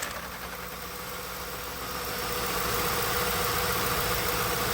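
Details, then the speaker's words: Engine idling on an extremely hot day: steady whirring hiss that slowly swells louder over a few seconds while the electric radiator cooling fan stops and starts about every 30 seconds; failing cooling fan motor. "it definitely sounds like a pony but I can't tell where it's coming from oh wait a minute it's the fan it's the fan I just saw it I could see it stopping and starting the fans going bad the cooling fan"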